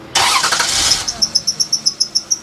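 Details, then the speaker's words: 2003 Toyota Highlander 1MZ-FE at idle: engine cranks and catches, then a shrill chirping squeal repeats about five times a second; squealing worn drive belts (alternator, A/C, power steering), to be replaced. "Well, sounds like we've got some squealing belts here on a 2003 Toyota Highlander."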